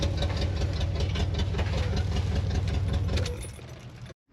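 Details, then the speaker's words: HammerHead 250cc go-kart, beat up and dirty, with a freshly charged battery: an even, low thrumming idle at a steady beat with no knocks or misses, fading as it shuts off. A normal, healthy idle. "okay another one that's taking a little time uh and another one that really needs a good cleaning but that said let's see that sounded decent nothing that's weird"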